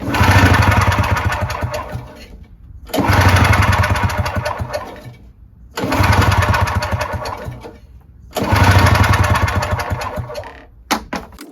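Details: Yard Machines 21-inch single-stage snowblower, 5 hp Tecumseh, after a week of penetrating oil in the cylinder: four pull-cranks, engine spins freely with even chuffing but never fires; no compression, oily plug.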